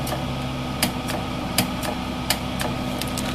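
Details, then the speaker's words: MIG welder with wire feed motor rigged to a battery and rheostat: sharp single clicks about once a second over steady fan hum as the trigger is pulled, the gas solenoid opening normally. "that should be your solenoid working so I'm going to get the tank for it and um start welding the right way with the MIG welder"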